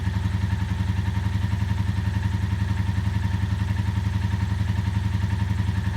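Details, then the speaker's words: 1984 Honda V65 Magna VF1100C barn-find V4 at idle on first start: steady lumpy idle with regular uneven beat; owner unsure if engine is clacky and not convinced it's running on all cylinders; possible misfire, no smoke, small gasket oil drip. "trying to figure if the engine is clacky or not not convinced it's running on all cylinders no smoke just got one little drip of oil down there"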